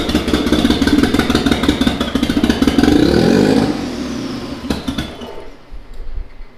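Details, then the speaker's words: Mitsubishi 3000GT VR4, twin-turbo 6G72, new engine on first start with a small fuel leak: revs rise and fall with a lumpy, stumbling beat; owner suspects a misfire or something left unplugged, not confirmed. "Why is it running like such dog? It's like running like something's not plugged in, right? It's running like something's misfiring."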